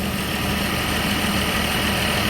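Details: 1963 Chevy II inline six, long stored, started once fuel began pumping: steady, even idle hum with no knocks or stumbles; running smoothly.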